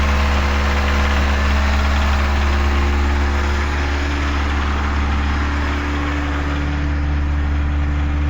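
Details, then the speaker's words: Engine at idle with a light ticking about three per second under the valve cover, from a worn small valvetrain part; loss of oil pressure starved the top end of oil, wearing it and causing the knock. "что-то стучит стучит у нас в ад клапанной крышки да так это значит у нас это у нас значит вот такая вот хрень там стоит"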